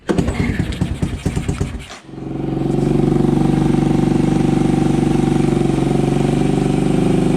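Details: Honda ATC 200ES single-cylinder, long unused and previously dead, just fitted with a Chinese carburetor: cranks, catches, settles into fast steady idle set too high; idle to be dialed back, air-fuel mixture may need adjusting.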